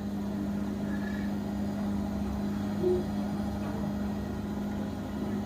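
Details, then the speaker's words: Bosch washing machine after rubber door seal replacement, spinning up to 1200 rpm: quiet, steady low hum with the drum turning evenly and no rubbing, scraping or knocking. The previous bad noise is gone; normal running. "they completely fix the washing machine you can see there's now no noise it's completely"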